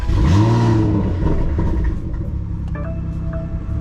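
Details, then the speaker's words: BMW M340i B58 tuned to 700 whp, back after two months of repairs: cold start with a sharp flare settling into fast, even high idle, no knocks or ticks; healthy cold start. "let's do a little cold start before I explain to you guys what it has, so you guys can have a little sense of how this baby sounds."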